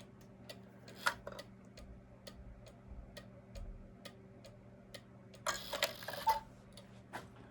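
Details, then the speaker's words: Vintage gravity-driven wall cuckoo clock after first-time repair: even, steady ticks about twice a second with a few handling knocks; clock running normally, though the cuckoo lacks power to open its new bellows. "So now that works. It sounds nice."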